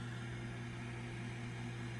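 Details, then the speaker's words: Old community well pump house: constant low hum from a pump running continuously without cycling off, with steady hiss over it; water leaking somewhere, pressure tanks possibly low on air. "oh it's just steady running it's on right now dude really yep let's here see if I can hear it I can hear it leaking I can hear it"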